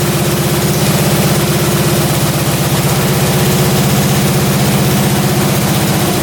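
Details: Russian Dnepr military twin sat 30 years in a barn, just after carburetor idle adjustment; even, steady low thrum at idle, no stumbles or misses; normal idle.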